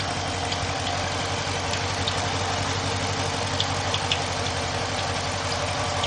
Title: Hemi Charger Chirping noise